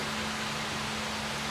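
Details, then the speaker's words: Rule 98B shower drain box with pump in a cargo trailer conversion: steady low hum near 200 Hz under rushing water from a 1.8 gal/min shower head as the pump runs evenly and drains the box, switched on by hand while the float is not connected. "and then when it would get up to about to we'd watch the float even though it's not hooked up and then deb would turn the pump on"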